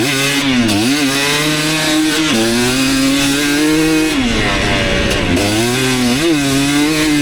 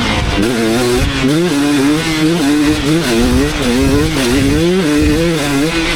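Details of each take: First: 2019 KTM 250SX two-stroke, Lectron Billetron 38 Pro carb, on track: metallic rattle under heavy load at about quarter throttle; detonation the owner attributes to a lean torque jet, to be richened about half a turn. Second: 2019 KTM 250SX two-stroke with Lectron Billetron 38 Pro carb tuned: crisp note rising and falling cleanly, no pinging or hanging revs, well jetted; minor detonation only when hot at session end.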